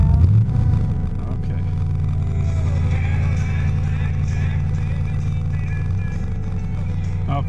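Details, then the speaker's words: 1978 Z car with 350 HO crate V8, Edelbrock Performer intake and carburetor, just after a cold start: steady even slightly raised idle with smooth low rumble, normal fast idle on the electric choke after sitting. "it's up on the electric choke right now it always does that when it sits down once that the choke warms up it takes off"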